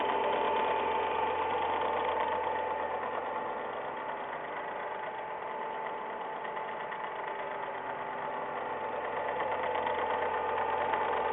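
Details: Ford Ka, semi-new, 10,100 km, first owner, always on Ford-recommended oil, cold engine at idle: light, quick, even tek-tek ticking about three a second, heard for six months only when cold; mechanics disagree on the cause.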